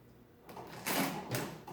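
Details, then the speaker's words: Rebuilt Marchant KE mechanical calculator: a few quick bursts of dry mechanical clatter as the carry runs all the way across the register without hesitation or jamming; normal carry operation. "you can see it carries all the way across no issues works"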